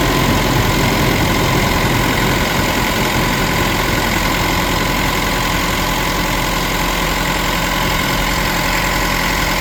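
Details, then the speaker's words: Mitsubishi Pajero Sport diesel during scan-tool small quantity (SQL) injector learning, with fuel pressure rising and falling, bonnet open: idle clatter with speed and tone wandering slightly; normal during learning. "So as you did see engine sounds variation and stuff."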